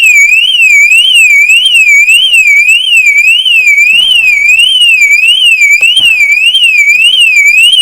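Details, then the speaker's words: 2010 Mercedes Vito: loud warbling siren sweeping around two to three kilohertz, cycling steadily; alarm with no remote fob, thought shorted out by water after washing. "I don't think it's even got an alarm on it. Well, it obviously has because it's making that bloody noise. But there's no remote fob for it."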